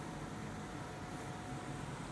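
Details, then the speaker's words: Ceiling-cassette home air conditioner after replacing the noisy indoor fan motor (worn, melted anti-vibration rubber mounts): soft steady airflow hum on high fan and auto, no rubbing, rattle or knock, fan now sounds normal. "แรงดีนะครับทางพัดลมดังปกตินะครับ"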